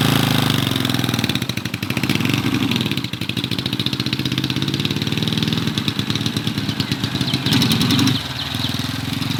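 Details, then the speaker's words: 1970 Honda CB450 barn find parked 20 years, first ride after revival, new battery fitted: twin runs unevenly, revs sag and stumble as throttle opens; engine bogging, cause not yet known. "The goal was to get it started and the bike runs, but it doesn't quite ride, but we're gonna try it."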